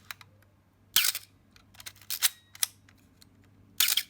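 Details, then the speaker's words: Canon A-1 35mm camera after lubricating the mirror damping gear: three crisp shutter releases, one followed by a brief thin high-pitched squeak as it resets; the shutter squeak is still there. "see the squeak is gone squeak is still there ah it's still there"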